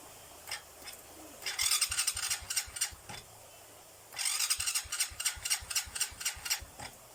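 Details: Noisy starter motor: two cranking bursts with a harsh, fast metallic rattle about four times a second while turning the engine over. Owner plans to apply grease; cause unconfirmed.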